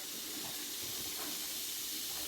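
A steady, even high hiss with no sputtering or surging; the canner is venting normally while holding pressure.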